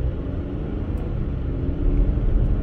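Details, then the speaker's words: 2013 Chevy Equinox on a road test after repairing stalling and rough running after fill-ups (flooding, purge solenoid implicated): a steady, even engine drone under road rumble with no surging or sputtering. Runs as expected. "Runs fine, no surging, no sputtering, no farting. Runs the way I would anticipate one of these things running."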